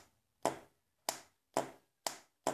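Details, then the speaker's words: Ford starter motor on the bench during a solenoid pull-in test: five sharp dry clicks about half a second apart with no motor spin; solenoid clicks but the starter doesn't crank, as it did in the vehicle. "y pues este es el sonido que se escuchaba al dar marcha"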